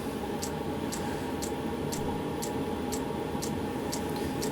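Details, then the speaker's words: 12 V heater with a bodged 24 V dosing pump, still in its lighting stage and not yet in full run: a steady fan hiss with a crisp tick about once a second from the pump. Operating normally. "so pump is pumping heater's heating so this is it's still in its lighting stage it's not going into actual full run yet"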